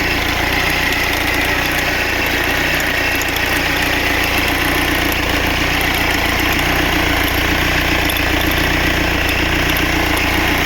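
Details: Mercedes OM646.821 diesel at idle: steady clatter with a regular rattling tick about once a second; cause of the rattle not yet clear.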